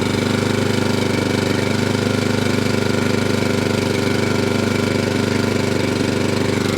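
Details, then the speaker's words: Atco Balmoral 20SK cylinder mower, Kawasaki engine, pull-started completely cold on choke after throttle repair: quick, even beat about three and a half pulses a second, no misses or knocks; normal healthy cold-start run. "Engine's completely cold, okay? And we'll give it a pull. That's all on, that's turned on. Yeah. There you go, and that's what I expect from a Kawasaki."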